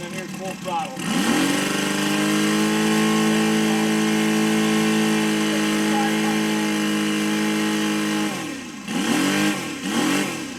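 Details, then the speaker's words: Saito FG60 R3 radial model engine during break-in: revs climb quickly and cleanly from idle to a steady full-throttle drone with no hesitation, then drop back smoothly; the transition is clean and the idle is steady. "here's my transition real nice transition no delay nice smooth and"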